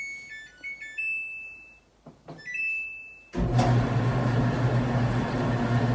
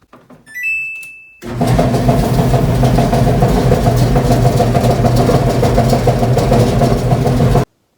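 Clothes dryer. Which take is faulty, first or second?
second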